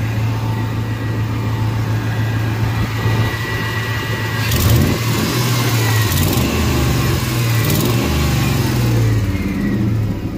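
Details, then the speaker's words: 2001 Ford F150 two-wheel drive, 5.4 two-valve V8, 277,000 miles, recent new exhaust: deep, even rumble rising and falling smoothly with throttle blips, no knocks or misses; running healthy. "Listen to it, it'll start right up. Runs good. Runs real good."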